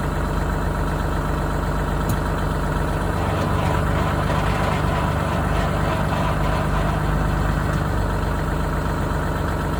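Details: Vehicle after a big bang when selecting from R to L: idling with a rough, gritty grinding that swells as gears are engaged, absent in N, with loss of power; transmission grinding in gear.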